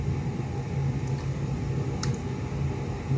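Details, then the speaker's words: Electric fan after repair (seized shaft tapped loose to free-wheel; previously would not run): quiet, smooth, steady whir with no rubbing or ticking, spinning freely and very quiet like new. "Parang bago ulit, no? May ikot na siya, oh. Tahimik na tahimik."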